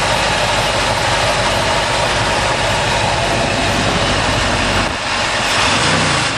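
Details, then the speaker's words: 1972 Ford truck V8 after fixing loose driver-side spark plugs that owner thinks let compression blow out so it ran on one bank; steady, even idle, smooth low rumble, no misses or ticking; healthy, much better than before. "sounds much better than yesterday I've also figured out that when I got stranded it lost um the spark plugs on the driver's side really loose"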